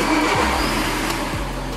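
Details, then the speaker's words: Skoda Rapid diesel just after start: even diesel clatter settling to idle, no knocks, misses or rattles; sounds very good for a diesel, healthy. "Vezi că pentru un diesel, pentru un diesel se aude foarte, foarte bine."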